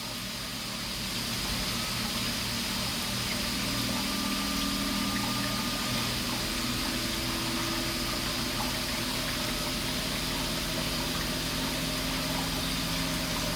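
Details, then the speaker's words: Panda spin dryer running alongside a Ninja unit at the same rpm: steady, loud whirring hum with high whine on top, constant through the spin, much louder than the other unit; loud spin noise. "but as it can hear the Panda is much louder that's really loud the only noise you can hear is the Panda"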